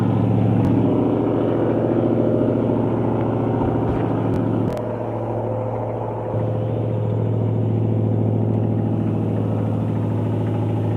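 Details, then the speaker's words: 2012 Mustang GT V8 (Coyote) at idle, hesitates on start: dull low knock from the bottom end; owner suspects lifter or rod knock, louder on acceleration; car died at 40 mph, undiagnosed by mechanics for two months. "Seems to be knocking the bottom. Try to take out the valve, see if it was a lifter. Lifter. Noise is coming from the bottom. Might be a rod knob."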